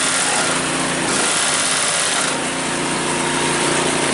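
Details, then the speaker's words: Cub Cadet 5 24 snowblower, running after a weak-drive repair: small engine droning at steady fairly high pitch with busy rattle on top, from rubber pellets tumbling inside the housing; drive now much stronger. "Makes that sound because of the rubber pellets running around in there."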